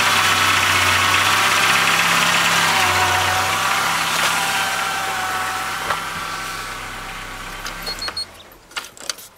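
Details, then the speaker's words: 1999 Ford Ranger 2.5 L 4-cylinder after replacing the misfiring number 4 fuel injector (fuel rail removed without pulling intake manifold): steady, even idle on all four cylinders, smooth low hum, no stumble or miss, no leaks, then shut off. Normal idle. "Well, we're running. And it's running on all four. So that's a lot better than it was when I started."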